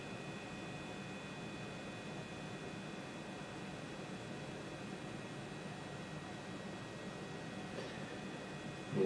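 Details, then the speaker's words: 21-year-old hard drive powered on for the first time in 21 years: initial click at start, then steady even whir with faint constant high whine and no repeating clicks; normal spin. "healthy it's not clicking but it is doing the initial click at the beginning"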